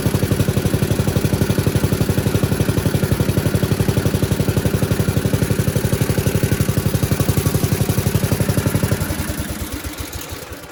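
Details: 1977 MTD 990 (badged Dayton, 16 hp) riding mower after electrical no-start repair, charging at 13 V, up from 12: even, steady thump of about three beats a second, then winds down on shutoff; running normally.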